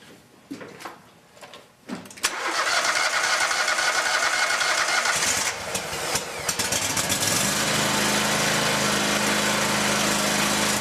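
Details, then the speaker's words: Scag Tiger Cat zero-turn mower, Kohler Command Pro 27 engine, after replacing blown 20A charging fuse (battery 12.1 V): cranks, catches, settles into steady even full-throttle drone without misses or knocks; battery now charging. Normal running. "I'm going to start it up, rev it up to full throttle, and take another voltage reading across the battery."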